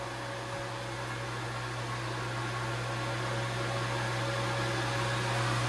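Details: Lodge water system pump priming after opening the inlet valve: steady low electric hum, constant motor tone rising slightly as air bubbles clear and pressure builds normally.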